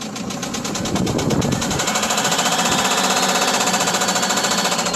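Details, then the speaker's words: Mitsubishi Fuso diesel, revved: heavy rapid hammering from the lower end, very loud, growing with throttle; rod or piston knock, one cylinder showing excessive blow-by. "Okay, this is rod knock going on, or piston knock inside of the block. And as I said, I wouldn't put any more money into this, or I wouldn't even think about purchasing it."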